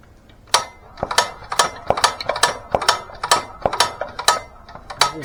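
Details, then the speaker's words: Engine just reassembled after several head removals, first run; uneven sharp pops about three a second over light clatter, not a full pop, not firing cleanly; good suction, owner plans to pull head to remove felt pieces. Abnormal running noise. "that noise that just that it's like a it's not a full Pop I don't know"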